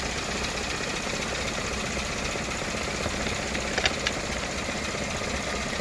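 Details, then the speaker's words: Toyota Camry 4-cylinder, cold morning restart, no DTCs: quiet, steady but sluggish idle under 1000 rpm where about 1500 is expected, no flare-up; sticking idle air control valve. "okay let's restart it i didn't see the flare up you see like didn't even get to uh 1000 rpm that we should get like about 1500 rpm it's very low right now the rpm"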